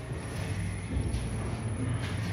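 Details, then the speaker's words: Lexus RX350 KYB air suspension shock absorber on a dynamometric testbench: a low cycling rumble with dull knocks as it strokes. It has lost oil and runs on air, so the working diagram is asymmetric and it gives no proper resistance. "The working diagram is terrible and you can hear a knocking noise The condition of the shock absorber can be inferred from the symmetry of the working diagram. In this case, it's not symmetrical due to the loss of oil, which prevents it from providing the necessary resistance"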